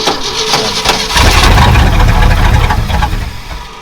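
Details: 1968 Ford F-100 after new starter and starter solenoid fitted, before tune-up: brief crank with no clicking, engine catches cleanly and runs steadily; starter engages properly, normal start.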